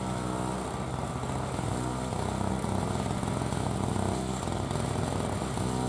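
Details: 2003 Murray single-stage two-stroke snow blower, first run in 5 years, clearing snow: a buzzy drone holds steady with only mild dips under load and no stumbling; normal running under load.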